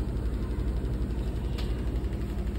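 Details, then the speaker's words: New Samsung fully automatic top-load washing machine in high-speed spin with clothes: steady, even low hum, no knocking or scraping, only light vibration; healthy spin cycle. "So high స్పీడ్లో rotate అయితే అవుతుంది ఇప్పుడు ప్రజెంట్గా. మనకు అసలు బట్టలు ఉన్న విషయం కూడా తెలుస్తలేదు. So you can feel the vibration."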